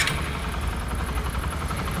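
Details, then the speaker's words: Used Bajaj Discover 100 after repair of "ko-ko" noise on pickup (timing chain/tensioner end was substandard): soft even low idle putter, no top-end ticking or rattle; knock gone, normal idle. "এর গাড়ির টার্মিং chain এবং হচ্ছে এটা তো দুই number ছিল টার্মিনট and কিন্তু cocoa sound আর নাই"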